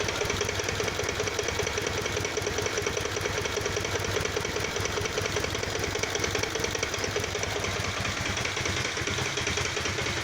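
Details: Kawasaki Vulcan VN 800 V-twin bought a week earlier, idling with a steady loping beat and a light repeated knock low in the engine; the owner is unsure whether it's normal; a mechanic retightened the heads and changed the oil.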